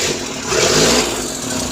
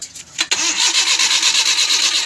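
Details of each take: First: Suzuki Scrum F6A 12V that would not start despite a new distributor, CDI, cap and high-tension wire: after the faulty rotor was replaced, the engine catches and runs steady and even with no misfire. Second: Suzuki Scrum F6A 12V crank, no start: fast, even starter cranking that never fires or catches, despite new distributor, CDI, cap and high-tension wire; no spark, traced to a faulty distributor rotor.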